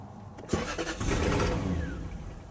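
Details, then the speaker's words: 1996/97 Lexus LS400 abandoned for 10 years, started with the accelerator partly pressed: it cranks, catches and revs up for about a second, then dies at once; the fuel pump primes, and the owner suspects a module rather than timing. "RPMs go up, and it just instantly crashes. See? It's not timing. It's like a module."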